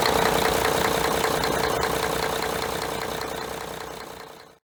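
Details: Mercedes-Benz MTU OM501LA diesel in a John Deere ADT idles with a sharp, regular knock about three times a second plus blow-by; cause was broken piston rings on No. 2 cylinder, fixed by cylinder kits.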